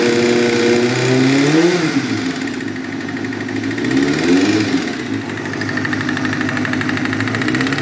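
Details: 1998 Kawasaki ZX-6R: a rough idle, then two quick revs, with a hard knock under the exhaust that follows engine speed. Rod knock from a spun rod bearing, which the owner confirms.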